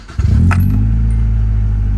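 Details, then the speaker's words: Nissan 240SX starting after a new starter and alternator were fitted: short, clean starter spin with no grinding, then quick catch into a smooth, steady idle; normal cranking, sounds like a new car. "that's crazy it sounds sounds like a new car to be honest with you it's kind of cool actually it's like a spaceship now"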